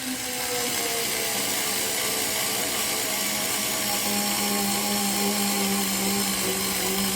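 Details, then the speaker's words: Parkside PAS 4 D7 cordless screwdriver with magnetic bit, driving a self-drilling screw into thick galvanized sheet: a steady whine whose pitch sags and holds lower under load. It slows but keeps turning and finishes the screw, though not without difficulty. "Tak jak widzieliście, nie bez problemu, ale dałem sobie radę z dokręceniem tej śruby prosto właśnie do tej blachy z ocynku."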